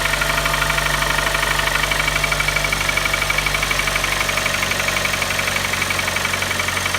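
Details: Kia Optima at start-up. A sharp ticking knock about four times a second rides over the idle right after starting; clearly internal. The engine was ultimately replaced under warranty.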